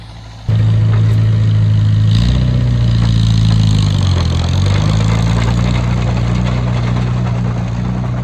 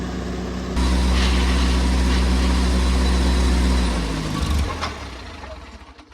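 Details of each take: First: Oliver Cletrac OC3 crawler with a new engine being broken in, chained to a truck with the brakes ridden for load: a steady, deep note sags briefly as load comes on, then pulls evenly without missing. Normal engine under load. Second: Oliver Cletrac OC3 crawler, hard to start, now with good oil pressure: it catches and runs with a steady low thrum, then bogs and dies, as it does whenever load is applied. A compression test is next; stalling under load.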